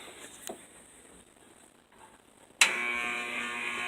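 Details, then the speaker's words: Old Lau box fan on an industrial stand, motor freshly oiled, switched on at high: near silence, then a clean switch-on into a steady, even, quiet whir with a faint hum and no rattle or scrape; normal start-up. "Got a nice start-up sound to it. It's pretty quiet. That's on high."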